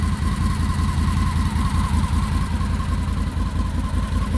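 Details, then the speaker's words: Idle of a 2020 Can-Am Defender Limited Max cab. A steady, even idle with a smooth low pulse and no knocks, ticks or whine. The owner says the exhaust sounds pretty good before revving it. Normal, healthy idle. "Rostov I did notice it sounds pretty good the exhaust come over here and rev it up"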